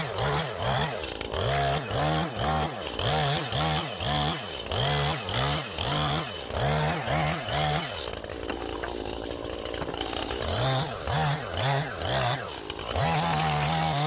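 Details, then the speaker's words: Stihl MS181C two-stroke chainsaw after a carburetor rebuild with a cheap kit on its aftermarket carb (before repair it ran rough, low on power, then wouldn't start). Crisp trigger bursts revving up and falling back cleanly, strong pickup without stumbling; running normally. "that's her one still up and running again it'll keep me cutting get about a firewood now for the winter time"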